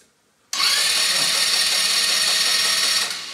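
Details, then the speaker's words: Elstar 150cc single-gear 2WD quad bike, long stored, new battery, oil in, neutral, spark plug removed: a quick, even whirring spin for about two and a half seconds with no bind or drag. The starter turns the engine over freely. "so i've put the spark plug back in the cylinder it turned over pretty good"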